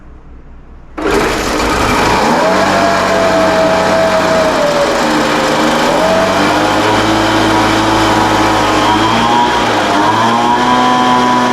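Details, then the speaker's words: Craftsman 200mph two-stroke leaf blower, first start after restoration on full choke and full throttle, screams at high revs but the pitch wanders and surges; uneven running, carburetor adjustment suspected as needed. "all right sounds like we need a little carburetor adjustment"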